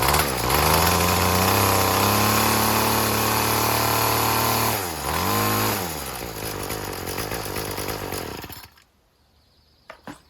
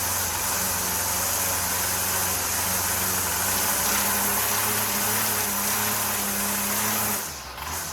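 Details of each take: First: String trimmer (weed whacker) after replacing the carburetor and fuel lines: revs climb, hold, dip and recover cleanly, idling a little rough after flooding. The cause was air in the fuel system from a line not seated through its hole. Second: Two-stroke weed whacker after carburetor and fuel line replacement: buzzy idle wavers unevenly and pitch sags, running a little rough because it was flooded; the earlier fault was air in the fuel system.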